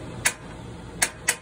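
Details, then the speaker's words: 2012 Surveyor 304 travel trailer propane stove burner lighting once air clears from the line; three sharp, dry igniter clicks at uneven spacing over a quiet room; normal burner ignition. "has it clears a little in the system it'll fire up there we go"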